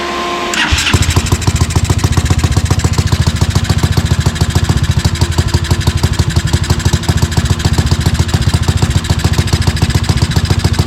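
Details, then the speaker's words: Tao Tao 250 quad with a new replacement engine, puffing black smoke: catches after brief crank, then heavy low uneven thumping three to four per second, never settling; rough idle, owner unsure if rich, considers carb mixture adjustment. "Maybe it just wants more fuel and I can just adjust it out through the carb."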